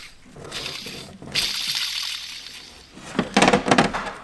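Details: Transporter van cambelt service, old timing belt tensioner spun by hand. Its pulley gives a dry, gritty rasp that fades as it slows, amid handling clatter: worn tensioner bearing near failure. The new tensioner is tight and completely quiet.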